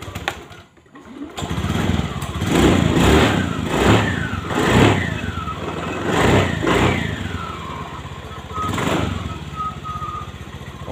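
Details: Honda Beat ESP scooter with total electrical failure, running again after fuse replacement: fires up and runs clean, revs rising and falling evenly on each throttle blip with no misfire or rattle; normal healthy running.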